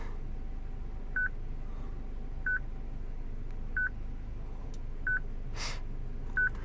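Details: 2006 Citroen C3 petrol, replacement radio from another car not coded to this car's VIN, radio otherwise working: constant short high beep about every 1.3 seconds, radio security lockout.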